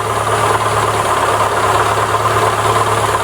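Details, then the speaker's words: Daewoo Lanos with MeMZ 317 1.4 engine, after valve clearance adjustment: idle much quieter but a dull, muffled knock about three times a second remains, coming from the block/clutch housing near cylinder four; loose flywheel bolts suspected. "но все равно какой-то глухой стук есть и причем создана пицца из блока цилиндров голубки в общей механизм"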